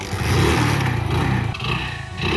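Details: 2007 Hero Honda CD Deluxe single-cylinder at 1,80,000 km with no engine work, regular oil changes; pulls up cleanly through two throttle blips, steady low thump, no knocking or rattles: healthy engine.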